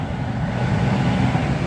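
Lumpy low idle with slow, uneven firing that sags very low with no throttle; idle speed dropping too far, cause unknown.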